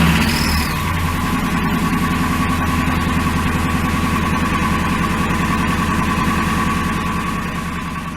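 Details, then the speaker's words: 2002 Ford F150 5.4L 2V V8 at 265,000 miles, true cold start after a night in the teens °F: fast hollow knocking at idle from piston slap, which disappears when fully warm; testing Valvoline Restore & Protect oil. "now that was a true cold start the truck had been outside in the weather and the teens all night long"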